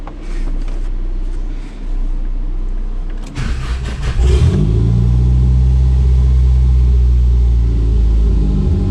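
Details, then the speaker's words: Chrysler Conquest after fixing a loose main power wire, and correcting an erratic RPM signal from the Apexi SAFC via the potentiometer. Engine cranks, catches and settles into a steady low rumble that doesn't hunt, though idle is still high. RPM no longer jumps. "don't seem to be jumping around all right so i think we fixed the jumping around issue"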